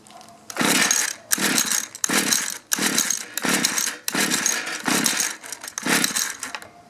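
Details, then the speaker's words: Mantis mini tiller 2-stroke, sat in barn about 10 years, run on 40:1 mix: about seven quick pull-start bursts with no firing; fuel confirmed, bad ignition coil. "Well, we know we're getting fuel. I'm going to check for spark."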